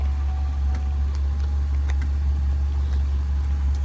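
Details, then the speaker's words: 2014 Chevrolet Malibu at a tow auction, started right up: very soft, steady low hum with no knocks, misses or ticks; idles so quietly it barely seems running, normal idle. "Folks, that thing is still running. It's as quiet as you're going to get on this one. I didn't even realize it was running. It's that quiet."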